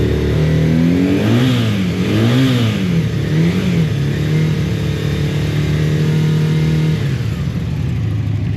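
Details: One of three stored motorcycles (V65 Magna, VT500C, CM250T) on full choke after float bowls were drained and refilled with fresher fuel. Revs climb and drop cleanly, then settle to a steady even idle; runs fine, though fresh fuel is still wanted.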